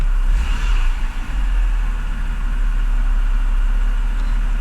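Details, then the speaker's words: Flooded BMW E60 528xi after running a while since first start; deep, even idle hum with no stumbles, much smoother than the first start, which had shown reduced engine power; white smoke thought to be residual moisture. "it works much better now comparing to the first initial start when I started it showed like reduced engine power right now it's it's runs very very even"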